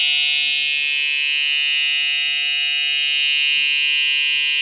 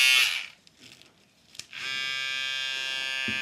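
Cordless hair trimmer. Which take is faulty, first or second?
first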